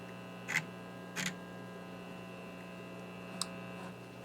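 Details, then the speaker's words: RCA 66X1 radio while troubleshooting the radio section: only a steady low mains hum with a few faint clicks, no stations or static. The receiver section is dead. "you would think you'd get some kind of static or something but there's nothing"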